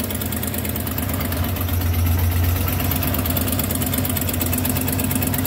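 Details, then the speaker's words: 1993 Ford F-250 302 5.0 V8 after vacuum harness replacement and a better throttle mix screw, EGR lines capped: steady, even low idle with a smooth lope and no knocks or misses; running pretty good. "You may want that. Running pretty good."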